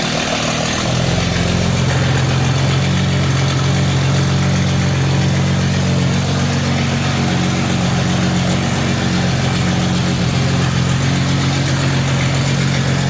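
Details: 1952 Jaguar XK120 FHC six-cylinder, first start in 40 years after Lucas C45PVS generator rebuild, starting carburetor in use, good oil pressure: deep, even idle with steady low burble, no knocks or misses; smooth and healthy.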